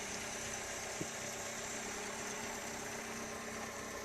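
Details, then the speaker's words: 1976 Toyota Corolla TE31, daily driven, new cat, passed smog; steady even idle with soft exhaust note through cat-to-two-inch small hot-dog style muffler, no misses or knocks. Normal idle. "you could hear the muffler i have on it and like i said it just goes cat to a two inch almost like a little hot dog style muffler"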